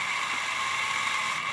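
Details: Burlington GP20 model locomotive after cleaning and lubrication: smooth, steady high whir with no chirping or squeal, previously chirped like an angry chipmunk; runs evenly and clean.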